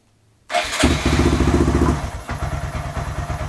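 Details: Honda Grom mini motorcycle, first start after sitting for months since New Year's Day, before the oil change: catches on the first try and settles into a steady, even single-cylinder idle with a clean regular beat; starts and runs healthy.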